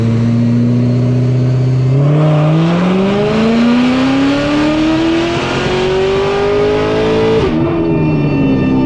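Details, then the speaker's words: High-horsepower boosted car on a dyno at 16 psi, intake temperature about 64 degrees: steady tone then a long rising pull cutting off near peak with faint roughness; misfire under boost getting worse, small puffs of smoke. "what I'm not sure I don't think it did I think it made more we're gonna we're gonna see here guys definitely fire yeah you hear it did you see any pumps of smoke coming out the back a little bit yeah let's take a Ganda it's getting worse"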